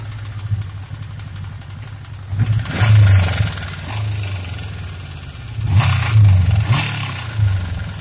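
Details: Suzuki Katana GSX 600 motorcycle revved in two blips over a low rumble: light knocking under the exhaust, more on the right side; owner suspects the cylinder head, valve adjustment or camshaft beds.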